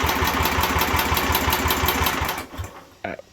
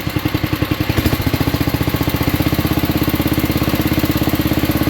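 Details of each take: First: 1967 Unico 7hp tractor single-cylinder, first run in 27 years after carb rebuild: chugs evenly about two seconds, then loses power and dies; fuel starvation, suspected restricted fuel pickup, fires when fuel squirted in. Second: 1967 Unico 7 hp tractor, first run in 27 years after carb rebuild, RPM dropped to idle: even, steady low thumping about twelve beats a second, no misses; smooth healthy single-cylinder idle, smokes a little.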